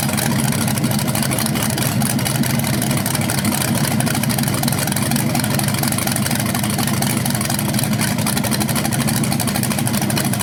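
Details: BluePrint 396 crate engine for a 1970 Camaro SS on its first run outside after oil priming and timing check: strong, even V8 rumble at steady idle, no ticks, knocks or stumbles; no leaks seen, sounds healthy and normal.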